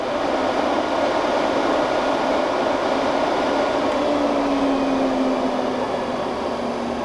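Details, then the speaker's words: Newly installed Heng's Vortex II RV bathroom vent fan, replacing the OEM fan that had a defective switch, just switched on: a steady airy whoosh with a soft low hum and no rattle or scraping. It is surprisingly quiet. Normal fan operation. "Go ahead and turn it on. Well, I have to say that's actually pretty dang quiet."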